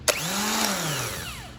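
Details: 1999 Chevrolet Corvette Z06 (no-start, burnt wiring harness) starter motor bench-tested by jumping the solenoid switching post: quick click, whir up to clean steady spin, even wind-down; starter working, in good condition.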